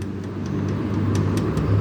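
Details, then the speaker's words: Car with suspension noise complaint, raised, link rocked by hand without driving: light regular knocks four to five a second from worn stabilizer bar end links; both shock absorbers also leaking oil; links were the main noise. "esse barulho é eu só fazendo a mão sem andando no carro"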